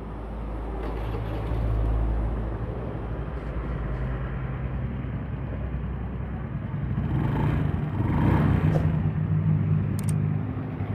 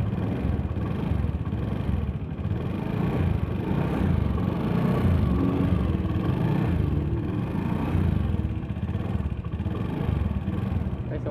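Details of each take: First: Honda Beat FI engine after rebuild (had rough ticking from late oil changes, suspected scored piston): smooth low even idle, soft steady beat, ticking gone compared with before teardown; healthy. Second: Honda Beat FI scooter engine, late oil changes and oil running out: steady idle with a fast, rough ticking clatter at every turn; mechanic suspects a scored piston, before teardown.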